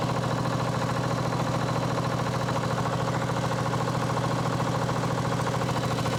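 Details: Sabre 1438 riding mower made by John Deere, first run after new fuel valve, filter, plug and elbow: small engine idles with a quick steady rattle about three per second over the exhaust; flywheel suspected loose.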